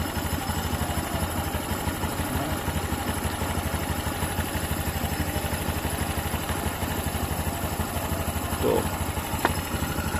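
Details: Honda Beat New (LED) scooter that makes a rough knocking noise. Run with the CVT roller housing removed, it gives a smooth, even idle with no knocks, so the fault is in the stuck roller housing, not inside the engine.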